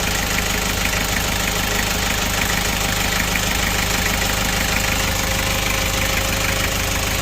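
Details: Kia Bongo Frontier 3.0 JT diesel at steady idle with a hard, fairly regular deep internal knock about twice a second; engine also overheats (no shroud), low power, black smoke, bad injector calibration; general overhaul due, knock cause not pinned down.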